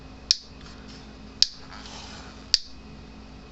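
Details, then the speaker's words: 36-year-old Gallagher BEV3/M800 fence energizer with exposed-lamination output transformer: sharp crackling snap about every 1.1 seconds over a faint hum, louder than normal; the output transformer is arcing and was replaced. "i mean these units are fairly loud to start with because their transformer lamination plates are exposed so they aren't muffled in an epoxy so these are usually a little louder than normal"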